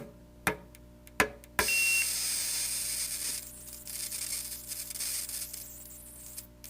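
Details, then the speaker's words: Johnson outboard ignition module on bench test after repairs: three irregular sharp snaps then crackling hiss flaring unevenly when tapped; module fires erratically, owner suspects a cold solder joint. "it goes nuts so something something's wrong so it's like it's trying but it's not quite cutting it"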